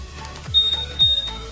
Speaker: yang ketiga kayak gitu guys, tit tit 2 kali.